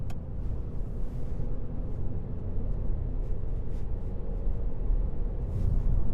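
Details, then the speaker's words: 2005 Mitsubishi Colt road test at 80 km/h after replacing the front right wheel bearing: steady low road rumble, no growl or hum rising with speed; bearing noise gone. "s'il ya un bruit de roulement ou pas on a 80 km aucun bruit fermez la fenêtre"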